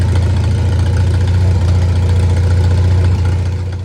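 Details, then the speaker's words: Old Farmall tractor after service, jump-started with an uncharged battery: strong, steady low chug at fast idle, firing evenly without misses, then winding down cleanly; running better, owner suspects worn spark plugs caused the earlier dying. "She's running a lot better than last time too. I bet you it was them spark plugs, because they look like crap. Sounds good to me."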